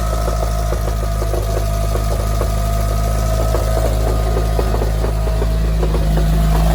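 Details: Mitsubishi Evo engine at idle, new balance shaft belt and rod bearings, accessory belt removed: loud, uneven rattling knock about three a second felt at the oil pan bottom, quieter with clutch depressed.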